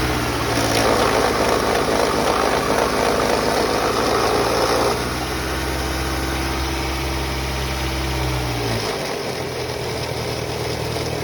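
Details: 2001 Toyota Camry at idle: a fast, fairly even rattle, about four times a second, until the engine shuts off; the source is unknown.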